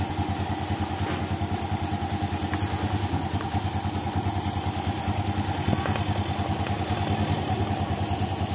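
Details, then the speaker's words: 2014 Yamaha Jupiter Z1 with a cold engine at idle: a regular kletek-klotok clatter, first thought to come from the clutch, traced via the air filter to the engine breather hose clogged with dirt and water. "nah ini suara berasal dari selang pernapasan mesin di sini kita lihat ada kotoran ya semacam air ya"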